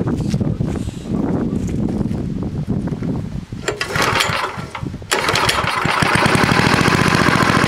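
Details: Vintage small single-cylinder snowblower engine after dirty carburetor was cleaned with carb cleaner: sputters, then catches and settles into a fast, fairly steady putter.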